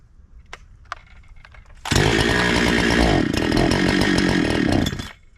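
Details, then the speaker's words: Brand new NEO-TEC NH872 71cc chainsaw (Husqvarna 372 XP clone), 28 in bar, after further carburetor tuning, cutting: snaps to loud high full-throttle scream, holds about three seconds, then drops away abruptly and dies; cause unknown. "dude it did great right up until that spot where it cut out I don't know why it just like cut off"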